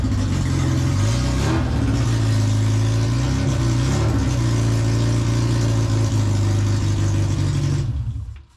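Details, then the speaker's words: Mini first start with no exhaust fitted and manifold pressure sensor wire unclipped: loud open-pipe idle, steady and even, picks up cleanly on throttle blips before shutoff; it runs. "i piss my neighbors off i'll get an exhaust on that before we leave it to room for too long but it's a good sign that she starts"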